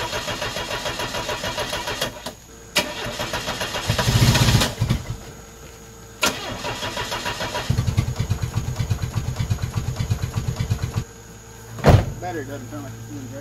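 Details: Car converted to run on woodgas, fuel pump relay pulled so no gasoline, homemade butterfly valves not yet adjustable, weak battery running down: starter churns in rapid pulses with brief coughs that never catch; cranks but won't keep running.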